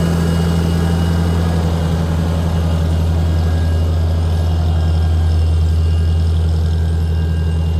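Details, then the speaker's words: Farmall tractor, 12-volt six-cylinder petrol, running Autolite 386, first start after sitting over a year, choked, on battery tender; earlier slight sputter, possibly moisture in gas, now a smooth, even drone without misfires or knocks. Running well. "sounding really good now I run auto light 386 in this it's 12vt 6cylinder"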